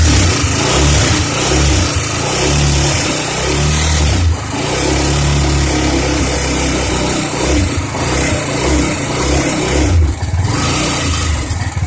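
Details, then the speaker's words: Suzuki GZ250 motorcycle after carburetor cleaning, choke fully on: single revs in uneven bursts with busy top-end clatter; it now tries to rev where it didn't before, valves quieter but still noisy; cause of hesitant revving unconfirmed. "Crazy, it's actually trying to rev now. It didn't rev at all before, really."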